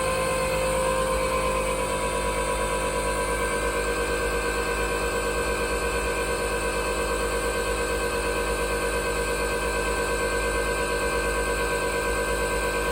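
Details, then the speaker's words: Twin-turbo LS V8 in an S10 truck on its first start after an engine rebuild: a steady, even rumble with a smooth firing beat and no knocks or ticks. Oil pressure was good and nothing leaked; the engine is healthy. "that was the first startup on the new engine after the rebuild I am happy with the way everything went we had good oil pressure um didn't have any crazy sounds and nothing's leaking"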